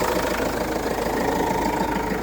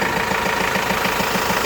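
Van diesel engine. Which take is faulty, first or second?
first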